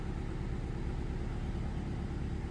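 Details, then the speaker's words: 2009 BMW 318i E90, believed 2-litre petrol, running very rough at idle with the car visibly shaking and petrol smelled at the exhaust; engine light was flashing, misfire on cylinder 3 after parts already fitted; lumpy, stumbling idle from a cylinder dropping out. "yeah i can smell petrol at the exhaust which is not very good as you can see the car is running really rough and uh you can definitely see the car shaking it's definitely misfiring no questions asked"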